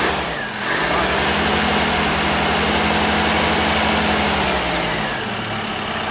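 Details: Whitby Morrison ice cream van with a newly fitted replacement engine, first start while warming up: an even, steady idle with a smooth low hum and no misses, knocks or hunting; running sweetly.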